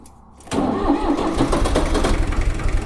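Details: 1978 Long 460DT tractor after repairs: short crank, diesel catches at once and settles into a steady, slightly rough clatter; good cold start; charging light on, possible charging issue.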